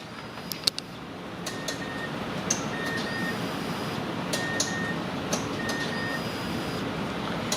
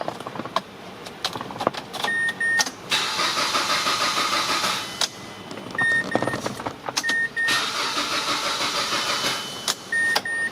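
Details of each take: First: Mazda CX-7 with crank-no-start, heard from under the vehicle as the key cycles on and off: four short faint buzzing hums over steady hiss, the fuel pump priming normally; fuel injector relay suspected next. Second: Mazda CX-7 crank but no start: two cranking attempts whir about two seconds each, engine never catches, dash chimes between; fuel pump heard buzzing; cause faulty fuel injector relay, fixed by replacing it.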